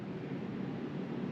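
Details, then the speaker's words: Newly installed Pioneer Diamante 9k ductless mini-split running after line installation and evacuation; smooth, steady rush of air with a soft low hum and no rattles or whine, cooling normally. "so I went outside and the outside unit is blasting away it's actually spinning really good"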